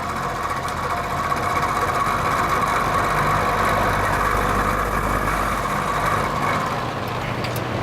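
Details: Vintage Penncrest (Lakewood) box fan on high speed with a defective motor: steady hum with a buzzy rattle that grows louder when tilted back and fades when tilted forward. A rear thrust washer issue is suspected; it is still noisy after oiling.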